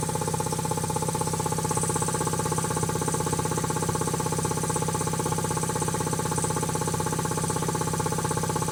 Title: Quincy QT5 QT-5 first run after rebuild